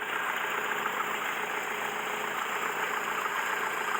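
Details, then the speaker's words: Mercedes W115 started for the first time after sitting three years, warming at steady idle: loud raspy chuffing hiss with no deep tone, a blown exhaust leaking near the engine; alternator issue also present. "we got an alternator issue we got our blown exhaust but we know"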